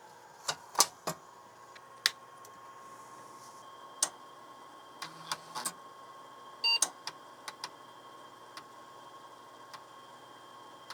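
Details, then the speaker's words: PC booting from a TRS-80 Model II 8-inch floppy drive: sharp scattered head-seek clicks and short stepping ticks over a faint steady hum as the disk, full of copied files, reads normally; normal floppy drive operation. "yes we actually have this pc booting off an eight-inch disc it's actually working"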